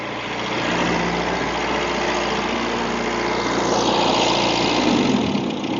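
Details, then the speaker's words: Toyota Corolla KE20, sitting since the early 1990s, after carb work, radiator and air cleaner refit, distributor timing and a new ignition coil: catches and settles into a smooth, even idle with no knocks or misses; throttle slightly sticky. "Throttle's a little bit sticky, but sounds good too, I reckon."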